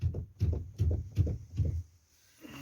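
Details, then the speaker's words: Toyota Carina E: five dull, low knocks about 2.5 a second from worn plastic steering column bushings, recorded before replacing them; the knock is gone after replacement. "так гремят наши втулки"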